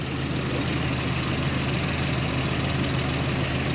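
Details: Toyota pickup with ignition switch identified as the cause of the stuck starter, running on a temporary cable while the starter spade connector is suspect: low, steady, even idle with no knocks or misses; idling normally.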